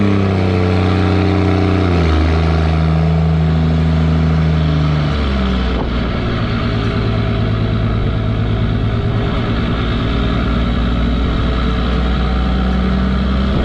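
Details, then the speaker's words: 2nd-gen Dodge Cummins diesel with automatic transmission towing heavy weight up a steep grade: loud engine pulls hard, pitch dropping in quick clean shift steps, torque converter locking up early, then steady; normal shifting under load. "Because you can hear in the video, I start off really easily, and it goes through the gears really quick, and it begins to lock up the torque converter right off the bat."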